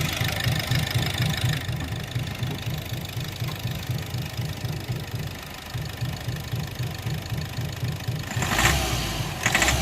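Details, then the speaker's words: Diesel engine idling with a heavy steady knock about four times a second that sharpens on revving, traced to cylinder four; knock stayed there after swapping injectors one and four and vanishes when its coupler is unplugged; wiring fault suspected. "अब इस point पे ऐसा लग रहा है कि जैसे wiring में दिक्कत है, क्योंकि अभी भी नॉकिंग की आवाज़ फोर्थ सिलेंडर से ही आ रही है।"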